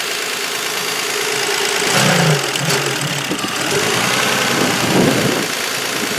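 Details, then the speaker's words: Damaged demolition derby car engine after a race, with misses, smoke and possibly little fluid, runs a rough uneven idle with hard knocking about three per second; it sounds mellow and won't rev out. "Oh, it's just super mellow now. It's not even getting angry. It just wants to chill out and relax. It doesn't even want to rev out."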